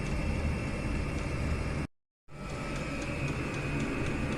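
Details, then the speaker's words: Chinese diesel air heater at power setting two, warming up and heating a homemade exhaust heat exchanger for a radiator: quick, light ticking of the dosing pump, several a second, over steady fan whir; normal, slowing once it reaches its set level. "there you can hear that pulsing away quite quickly um in a couple of minutes that that stabilizes that that goes slower than that once it's um got to its seat setting"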